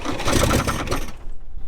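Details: 1962 Chevrolet Impala, 235 inline-six, sitting over 25 years, with new ignition parts and the points just reinstalled: fast rhythmic cranking with a few stronger pulses as it tries to catch, then it dies. It nearly starts.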